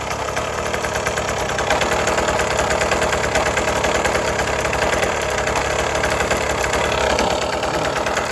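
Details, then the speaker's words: 1980s Cruise N Carry outboard after sitting about 20 years and then getting a carb clean and fresh gas, running with the propeller turning. The two-stroke buzz is steady and rapid with no stumbles or rattles; it runs perfectly. "So just a simple carb clean and some fresh gas, and it fired right up and ran perfect."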